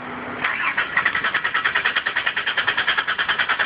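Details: Engine, no fault codes found, started the day before, gas pedal pumped: steady starter churning at about three pulses a second with no firing catch. Cranks but won't start; owner doubts a dead battery. Cause suspected, not confirmed.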